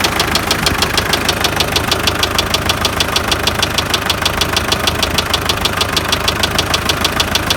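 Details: MTZ tractor diesel, noise appeared suddenly while driving and was driven about 20 km with it: sharp, regular metallic knock about three times a second over the idle. Others suggest a cracked crankshaft.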